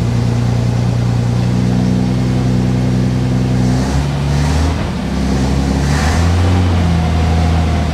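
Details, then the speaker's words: 1957 Plymouth barn find, 5 gallons fresh 91 non-ethanol gas, hoses replaced, tank drained, running on starting fluid: engine revs then sags and stumbles as speed hunts; fuel not yet drawn through pump to carb, starving. "Suck it up, Dang. Yeah, she probably ain't gonna start again without more starting fluid."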